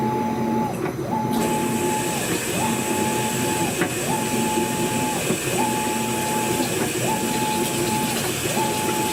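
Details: Brand-new Maytag top-load washer agitating in steady strokes with a light, repeated clicking and water sloshing under each stroke.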